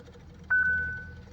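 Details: Hyundai Creta won't start, with a malfunction alarm and fluctuating dashboard: a single steady electronic warning chime sounds and fades over a quiet background; cause suspected, not confirmed.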